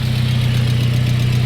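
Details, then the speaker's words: Car at a salvage auction yard idling with muffler rusted off and serpentine belt missing after the idler pulley disintegrated: steady, loud, deep idle with an even low drone and no belt chirp. "so the muffler is rusted off of the car which is why it sounds like it's so awesome right now sounds good okay"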